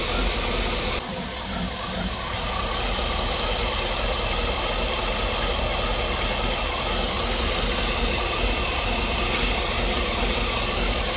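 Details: 2009 Cadillac Escalade 6.2 V8 running with valve cover off: light quick ticking at a couple of beats a second; oil flow to rockers intermittent, then stops, owner suspects the oil pickup. Not confirmed.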